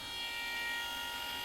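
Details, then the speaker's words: BMW MINI R50/R52 Cooper, first start after engine removal and refit; engine cranks briefly and dies, then a quiet steady high-pitched electric whine as the power steering pump motor keeps running on; owner worried it's a new problem. "So I can hear the power steering motor whizzing away there. That was sort of concerning me. So I thought, why is that just staying on?"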